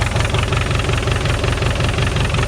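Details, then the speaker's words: Volkswagen Scirocco after an engine swap, idling: heavy, regular low knock every few firing beats, diesel-like clatter; cause not yet found, owner noted lots of silicone around the sump and was never sure of this engine. "I think it's knocking. So I'll start it up and we'll have a listen. Not sure how well you can hear that on camera. It sounds like a diesel. It does sound quite knocky."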